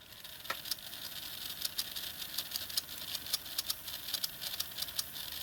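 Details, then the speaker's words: GF R238 'Sketty Hall' model locomotive running on a rolling road: the small motor whirs with sharp, irregular high chirps near the front of the loco. Section-by-section lubrication traced the squeak to dry armature bearings. "So you can hear that chirping quite clearly, and I definitely get the impression that it's near the front of the locomotive"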